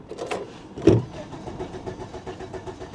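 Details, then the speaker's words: 1997 Volvo 850 Turbo, 131,854 miles, probably sat six or seven years, with a charged battery: even, healthy cranking that never fires and no tach movement; cranks but won't start, cause unknown. "but it cranks sounds healthy I don't see the tack moving at all"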